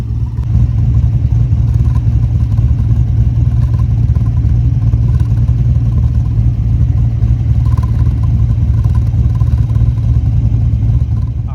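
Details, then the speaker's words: LS-swapped BMW 1 series V8 at idle after installing a Vibrant ultra quiet resonator: loud lopey idle with uneven low chuffing puffs with the cam chop, a noise absent before the resonator; exhaust chuffing at idle. "It sounds worse coming through the phone than it does in person. It doesn't sound that bad in person, but it definitely didn't make that noise before putting that resonator in, so that's definitely kind of a downside to it."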